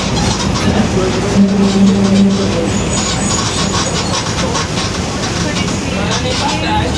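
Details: 2021 Marcopolo Torino S city bus on Mercedes-Benz OF-1721 BlueTec 5 chassis, recorded while driving: a low droning hum rises and falls with road speed beneath tyre and road noise, from a droning differential.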